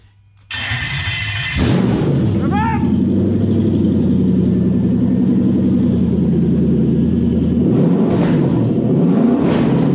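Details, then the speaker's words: 1947 Ford pickup with Toyota 1UZ VVTi V8, Link Storm ECU and Motec PDM, running after wiring: short crank then steady, even deep-rumbling idle; fuel pump circuit works, engine runs healthy. "so the fuel pump circuit works we're all looking good motor runs run run"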